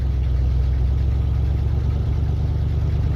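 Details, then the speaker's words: 1976 Dodge motorhome, cold start on choke with good voltage, oil pressure slightly high on 15W40 or 10W40: steady, even low rumble with no misses or knocks, idling smoothly. Normal cold start idle. "So we set the choke, good voltage. Here we go. It's probably gonna die."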